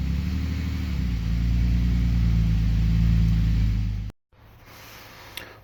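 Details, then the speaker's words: BMW X5 bought with blown engine, idling after restart with suspected dirty old oil, more oil to be added: steady idle with light quick ticking that settles as oil circulates; sounds like lifter tick rather than rod knock; metal pieces later found in oil and filter. "Because that doesn't seem like rod knock sound. It seems like, more like, lifter tick."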